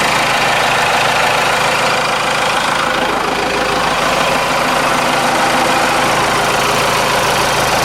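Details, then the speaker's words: Cummins 4BT turbo diesel, about 71,000 miles, idling a few minutes after fuel filter change and air filter wash: even steady clatter, no misses, knocks or surges; good oil pressure, normal idle. "that smells good oh yeah good oil pressure burn like a kitty"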